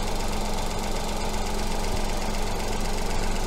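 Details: Petrol engine with coil-on-plug ignition, at idle while the coil primary signal is being probed through a 20:1 attenuator. Steady, even idle with a smooth low hum and no misses or stumbles. Normal idle.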